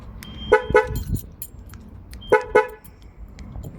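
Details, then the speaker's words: 2005 Jaguar X-Type with corrupted immobiliser, new battery fitted, key fob lock/unlock pressed repeatedly to relearn: two pairs of short horn toots about two seconds apart; alarm refusing because the back door is open. "Doesn't like it. Doesn't like it. It's saying something's wrong. Back door's open. Back door's open. Doesn't like that."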